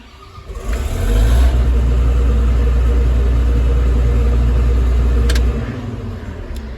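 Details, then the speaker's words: John Deere 9750 combine with a no-start, no-crank issue, after swapping relays: brief crank, then diesel catches at once and settles into steady even low rumble; normal start. "so that's a win because uh it starts and obviously that's the end game here"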